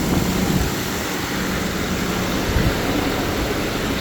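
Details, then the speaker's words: 1997 BMW 750iL 5.4 V12 started after valve cover gasket replacement, checked for fuel leaks: smooth, steady low hum with no ticks, knocks or stumbles; it idles evenly, though a fuel leak is then found. "Sounds like she's running."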